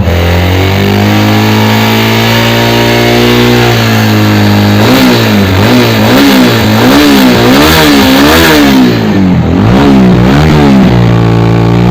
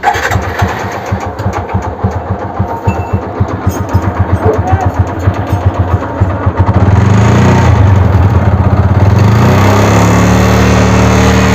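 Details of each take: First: TVS Apache RTR 200 4V motorcycle, after repair of an engine noise problem: clean idle, then repeated smooth blips up and back down, pitch rising and falling evenly with throttle, no knocks or rattles; engine healthy. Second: TVS Apache RTR 200 4V motorcycle, 56,367 km, engine already repaired three to four times: rough, rattly clatter at about three to four beats a second that rises with throttle; the mechanic suspects piston damage, not yet confirmed.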